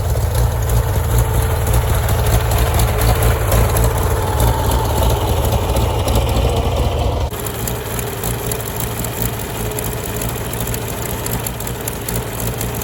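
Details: Farmall tractor (1949 H or 1968 656, unclear which), troubled by fuel problems and cutting out; carburetor adjusted after it hadn't run over 30 seconds, coolant was 2.5 gallons low. Even, low thumping idle that drops slightly in speed and keeps running smoothly; normal idle.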